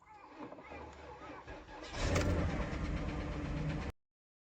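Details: Porsche Cayenne S (junk car) with reported engine noise: starter churns unevenly for a couple of seconds before the V8 catches and settles into a rough idle; hard, slow start.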